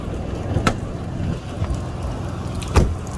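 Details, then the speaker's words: 1994 Cadillac DeVille after replacing power steering pump and lines, running in rain: quiet, even low idle rumble with only a couple of light clicks and no pump whine; steering pump healthy, though wet belt may chirp. "so it's real quiet sound like what the cal exposed sound nice and quiet ain't gonna be noisy you know"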